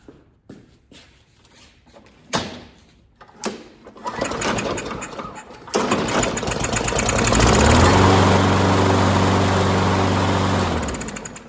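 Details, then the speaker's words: Modern mower before a tune-up, sprayed: a few pulls and clicks, then it catches late and runs roughly. A very slow start, probably fine; its automatic choke can slow starting. "We want to hear that start a little snappier than that. Probably fine, but that was a very slow start."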